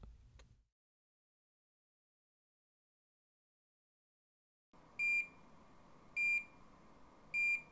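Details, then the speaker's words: Curlin 6000 infusion pump set up for milrinone: button press, then three evenly spaced high beeps confirming the power-on self-test completed normally. "Press the ON button on the pump. Listen for the beeps that tell you the self-tests are complete."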